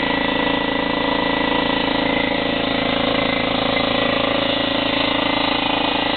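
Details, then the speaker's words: Slightly used DeWalt 15-gallon vertical air compressor, in good condition: loud steady motor drone with a fast, even chatter of about three and a half pulses a second. It runs smoothly and normally. The tank pressure gauge is stuck, but the regulated side works. "It's in pretty good condition. It does operate very nicely. We're going to turn it on for you."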